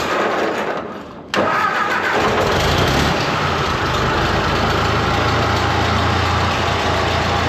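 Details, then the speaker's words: 1950s–60s "doodle bug", possibly a former golf-course or highway mower, in neutral with what seems a newly working water pump, after the fuel was turned on. Cranks briefly, fires at once and settles into a steady, even low idle with no misses or knocks; normal idle. "Purring like a kitten. Kinda. Helps if you turn the fuel on."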